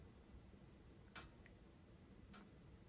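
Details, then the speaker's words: Household radiator (heating battery) in a quiet room making sharp metallic "ting" ticks about a second apart; owner says it never did this before, now does, loud at night; cause unknown, asks whether she can fix it herself. "оце Тинь Тинь Тинь Раніше вона так не робила зараз робить"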